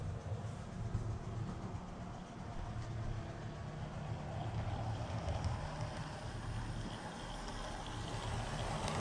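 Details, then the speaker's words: Model train locomotive run on the Woodland Scenics Grand Valley layout after cleaning: only a soft, even low rumble, no buzzing or electrical noise, unlike its weed-eater-sounding sibling; normal quiet running. "Nice and quiet."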